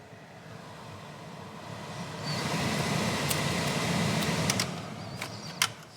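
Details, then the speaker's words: Mitsubishi Lancer Evo 8 long left sitting outdoors, heater blower after fix: a loose third wire of its three-wire connector was plugged in; blower spins up after two seconds to a steady, even rush of air, no rattle or squeal; normal blower operation. "Well, that's fixed. 2 of the wires were plugged in properly. It needs all 3."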